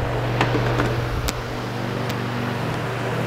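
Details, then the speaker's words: Dayton 2MA11 24-inch ball-bearing fan, run capacitor swapped from 20 µF to 10 µF: steady low hum with a few scattered ticks, low 60s dB at about 970 rpm, down from about 1250 rpm; slower, quieter fan motor hum. "so that's a 15 microfarad let's go down a little bit more there's our 10 microfarad sound wise we're in the low 60s just under a thousand rpms 970 or so"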